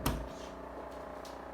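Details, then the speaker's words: Daewoo RS30 fridge making a steady buzzing hum with rattly edge; noise comes from the compressor area at the back bottom, caused by a vibrating compressor pipe. "noise comes from the compressor sterilizer in the back of the fridge"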